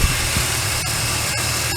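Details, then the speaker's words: VY Commodore L67 supercharged engine, supercharger drive belt pulley heard through a microphone on a steel bar held on the pulley bolt; steady even whirring with no grinding, quieter than the neighbouring dry-sounding pulley. Normal pulley bearing. "I think this one's a bit quieter."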